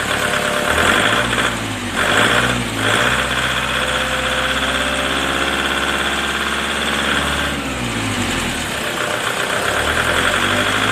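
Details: Nissan diesel (ZD30/YD25) with its injection pump, tested on a good ECU: the engine runs steadily with an even clatter and brief speed changes, sounding healthy.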